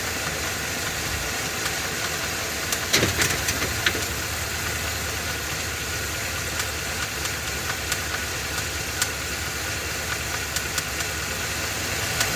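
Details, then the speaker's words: Ford F-250 7.3 L Godzilla gasoline V8, hot day, serpentine belt removed per TSB, idle with light load; irregular sharp knocks, three or four a second, still present without belt — engine knock internal; engine later replaced. "he found the TSB where you take off the uh serpentine belt and to see if the noise is still there so this is the video clip of him doing that the noise is still present"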